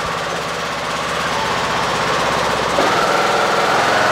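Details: Husqvarna riding mower with blades engaged after replacing deck spindles ruined by worn, unbalanced blades. An even engine drone rises smoothly as the blades come up to speed, with no grinding or rattle, so the deck sounds healthy.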